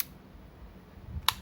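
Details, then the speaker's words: Yashica Electro 35 GSN with a stiff shutter that would not fire, tested at f/16 with the meter covered: two crisp single shutter clicks about a second apart, quick with no drag; the shutter fires normally. "ถ้าพี่หนึ่งปล่อยนิ้วโป้งขึ้นมาอ้ะมันก็จะดิบกับตัวกล้องทำงานปกติอยู่แล้วนะครับ"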